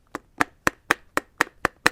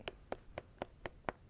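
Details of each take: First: Roller skate wheel spun with its axle nut (bolt) far too loose, hanging off the axle: sharp, regular clacks about four a second as the loose wheel wobbles and knocks. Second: Roller skate wheel with the axle nut correctly adjusted, neither loose nor too tight, spun freely: light, evenly spaced clicks about four a second, crisp and consistent, no deep knock; proper adjustment.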